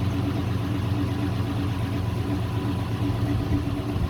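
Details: Old dump truck after fuel tank work and priming the pressurized fuel pump; low steady rumble at even idle, no misses, ticks or knocks; engine running smoothly.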